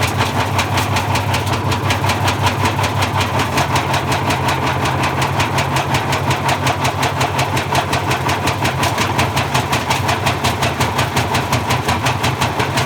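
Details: Bosch Classic 6 1200 Express washer hot-wired straight to the motor, top ballast removed, loaded with objects: heavy, regular banging about three times a second as the drum turns; spider broke and the loose drum bangs.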